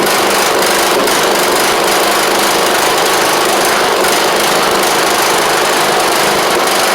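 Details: John Deere LA100 riding mower, long-sat, after carb work, running off choke: a loud, fast, steady buzz at speed with no misfires or knocking. It runs evenly; owner suspects a failed spark plug and expects run time to help.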